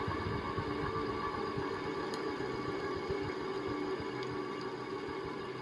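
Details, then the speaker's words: SMC M48 three-metal-blade ceiling fan from 1979: steady motor hum with irregular clicks and clunks. The bearings are worn and full of dirt, gunk or rust; contact cleaner, oil and WD-40 did not help, so the bearings need replacing. "1979 you can hear that clicking and clunking probably which is the it's due to the dirt and gunk or rust or whatever that's in the bearings"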